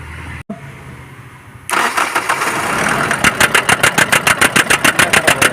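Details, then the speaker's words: BS4 common-rail diesel with codes P171A and P1B87: after starting, the engine settles into a steady chopping cut-out about three times a second; injectors checked OK; rail pressure not building properly, blamed on rail pressure sensor fault. "तो यह common rail Fisher है Fisher अच्छा से बन नहीं रहा है इसलिए साउंड कट कट कर रहा है"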